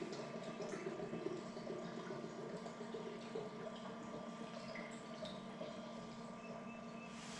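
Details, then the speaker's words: Series 8 printer commissioning, ink bottle pushed onto septum, filling the ink tank over 20–30 s: faint liquid trickle and gurgle over a quiet steady hum; normal fill, display changes to ink full. "I'm gonna push down and this now is filling the ink into the ink tank same sort of time between 20 and 30 seconds"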